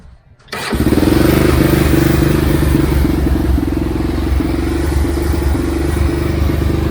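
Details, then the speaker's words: Xcel mini dirt late model (micro sprint based) first start: fires after short crank into uneven, lumpy, wandering idle; runs only with choke up or hand over intake, oil from exhaust likely overfilled; cleaned carb failed, new carb to be ordered. "the problem i'm having is the carb doesn't want to run unless the chokes up and you almost have to have your hand over the intake to make the thing want to run"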